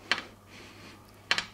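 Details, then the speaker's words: Shimano crank arm clamped in vise and loaded: two dry sharp creaks a second apart from the disbonded bonded spider, glue joint broken by galvanic corrosion between steel axle and aluminium spider; can mimic a bottom bracket creak. "So you can just about hear that creaking. Imagine that happening every time it was going around. What I wonder is how many people have thought their bottom bracket was creaking and it turned out to be the defect in the crank arm spider."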